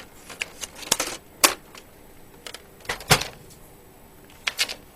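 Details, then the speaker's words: Vintage laptop-typewriter with a thermal-driven printer printing out typed text as it scrolls off the screen. Irregular bursts of light clicks and rattles with pauses between lines. Normal printing, a little slow. "it's pretty neat it works well a little slow now starting type"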